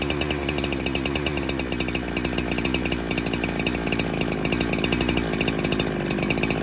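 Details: 372 clone chainsaw that kept leaning out after fuel was added, spray test as it warms from a cold start: a fast, uneven idle buzz whose revs hunt and sag during spraying; a suspected air leak leaning out the warm engine.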